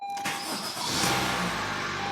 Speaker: it sounds amazing silence one more time